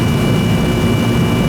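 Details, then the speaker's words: Old R-22 Goodman AC that was running but not cooling, after service: loud steady low hum and fan rush, even and unbroken. The compressor is rough and noisy but running. "All I care about. Noisy, but still running."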